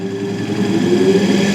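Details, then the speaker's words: Capacitor-start capacitor-run single-phase AC motor on an ITI trainer kit, variac raised past about 70 V: a steady hum climbs to speed, then one sharp tick as the centrifugal switch opens once speed is reached. A normal, healthy start. "ನೋಡಿ ಟಕ್ ಅಂತ sound ಬಂತ, switch open ಆಯಿತು."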